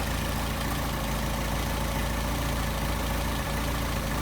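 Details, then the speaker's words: Solex carburetors after idle screws lowered about half a turn and balanced: steady, even idle at about 700 rpm with no misses, knocks or hunting; smooth, balanced carburation, normal idle. "Alright, our idle is running 700."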